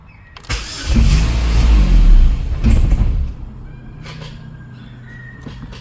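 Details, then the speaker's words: Opel Astra G SRi, Z22SE engine: engine catches and rumbles a couple of seconds then dies when throttle is added; throttle butterfly works, check engine light only flicks briefly. "now when you try and give it berries it just dies"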